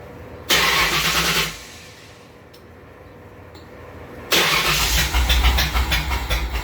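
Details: 1938 Ford: catches, dies, then restarts into a lumpy, uneven idle with irregular pulses; misfiring, cause not yet determined.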